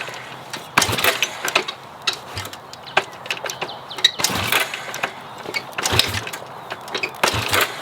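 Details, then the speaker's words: Honda CB450 barn find, sat 20 years, running without a battery: fires in ragged, uneven bursts and won't settle; owner suspects intermittent fuel supply from the petcock and fuel lines rather than carbs. "The goal was to get it started and the bike runs, but it doesn't quite ride, but we're gonna try it. So here we go. I don't think these bikes like to run without battery."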